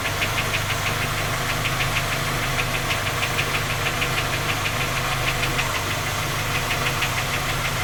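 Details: Skoda Octavia A5 facelift 1.6 MPI, cold idle: sharp metallic tapping about three times a second over the idle, a persistent engine knock; three engine repairs have not found the fault.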